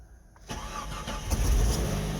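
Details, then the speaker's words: Jeep Comanche: near silence, short crank, then engine fires and settles into a steady even idle; starts cleanly. "there we go he's a runner"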